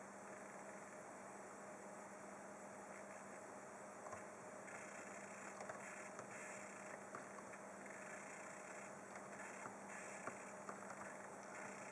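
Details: Skylake 6700K on Asus Z170I Pro Gaming with integrated HD 530 graphics under Windows 10: quiet buzz, steady low hum and crackly high bursts that flicker with page scrolling; none in BIOS or with discrete card; faulty motherboard.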